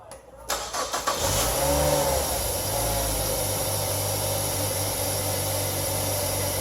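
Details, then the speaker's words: 2003 Mazda 6 2.3L with stalling, surging idle, codes P2187 P2177 lean: engine catches and idles with a steady airy sucking hiss, vacuum leak from a torn PCV valve hose under the intake manifold. "if we can pick it up on the video but there's quite a a sucking sound you're familiar with a vacuum leak sucking air"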